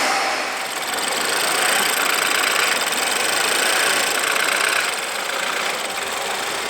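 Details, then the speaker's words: BMW F30 328i N20/N26 engine after maintenance, metal valve cover amplifying noise, beauty cover off: even steady idle with light quick top-end ticking, no misses or knocks; normal idle. "Also, yes, these motors sound lousy. Apparently, they sound like tractors, but since we put in a metal valve cover, that sound is amplified."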